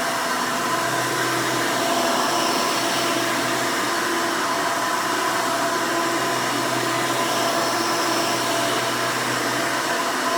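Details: 1992 Hoover Elite II Total System Performance 650 U4689-910 upright vacuum, motor untouched since purchase: loud, steady roar with even high whine, no surging, rattles or rubbing; owner says it runs nice and smooth, normal running.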